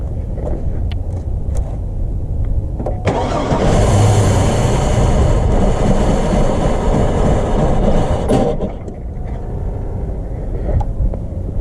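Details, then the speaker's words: 2002 Chevy Blazer that won't start on its own: with gas poured down the throttle body it catches and roars for about five seconds, then dies back to cranking; fuel pressure is low, and the fuel pump was then replaced. "as you can see it does run with some gas down the throttle body"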